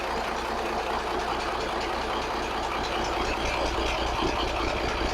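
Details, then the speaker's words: 1983 Kenworth cabover, Cat A-model diesel, after setting injection timing and overhead, slight expected blow-by: steady even idle with constant low rumble, no knocks or misses; runs smooth, sounds healthy. "It sounds good, man. It sounds real good."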